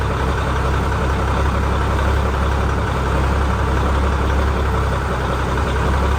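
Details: Ford L9000 heavy diesel truck after post-show repairs, new filters, new battery cables and new gear-reduction starter, two of four batteries low: deep steady rumble at idle with no misses or knocks; engine settles and runs evenly.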